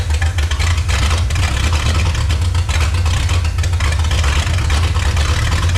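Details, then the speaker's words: 1954 Chrysler New Yorker 331 Hemi V8, salvage-yard car unrun 50+ years, first start: deep, loud idle with ragged loping beat, not happy; carburetor pouring fuel, owner suspects sticking float, needs rebuild and tune-up. "Well, it runs, folks. Not real happy."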